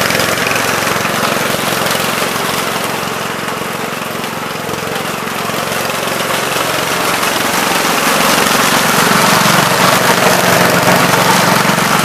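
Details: 1970 Gravely Commercial 8 single-cylinder after years sitting: steady even putter at fast idle, no misses, knocks or grinding; running decently, more carburetor work expected.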